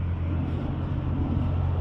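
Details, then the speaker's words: Honda Harmony lawn tractor starter on jumper cables: steady electric drone with no engine catch; starter spins but Bendix pinion doesn't engage flywheel, owner suspects sticky starter. "it's just spinning"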